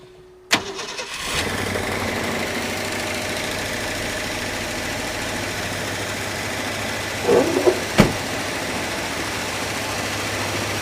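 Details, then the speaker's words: 1967 Mercury Commuter wagon, started cold once the ignition switch began working: a quick crank, immediate fire and a steady even idle. It runs much better than before, when it was barely running. "Fires right up though. Yep. A little cold right now. But she sounds a lot better than what she did on the last video."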